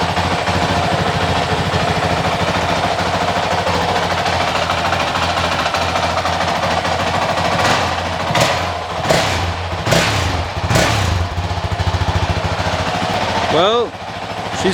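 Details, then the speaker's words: Honda CRF450X 2023 with only a thermostat delete kit, first start after fitting a Vortex ECU on the stock-exhaust map (map 5): fires and settles into a fast, even single-cylinder idle with sharp throttle blips; normal, healthy idle. "She's alive again. Woo! Feels good, sounds good."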